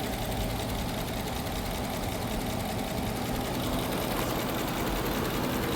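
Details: Dodge Durango 5.7 Hemi, stock with no cold air intake, oil level okay: even V8 idle with a faint, fast sewing-machine tick underneath; owner suspects an exhaust leak or a lifter, not confirmed.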